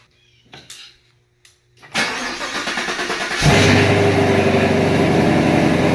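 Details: 2019 Camaro SS, 6.2L direct-injection LT1, after stuck-injector repair and fresh oil fill: crank, quick catch and a blip up to a strong, steady rumble that settles evenly, firing on all cylinders; normal idle.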